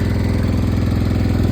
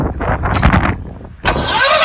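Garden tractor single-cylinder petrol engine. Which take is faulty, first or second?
second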